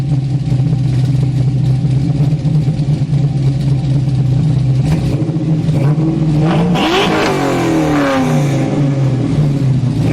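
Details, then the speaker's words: Camaro V8 with 3-inch true dual exhaust, X-pipe, Flowmaster 40 mufflers and added 16-inch resonators: deep smooth burble swelling cleanly on a blip, no drone or rasp; normal exhaust note. "I'm actually really happy with how the car sounds this is what it sounds like"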